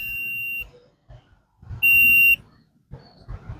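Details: Stranger PBT-1500 (about 150 W), very old amplifier with a shorting problem, tested with a multimeter: three short, clear high continuity beeps as the probes touch each transistor pin at base and emitter; continuity is present, so not all transistors are shorted.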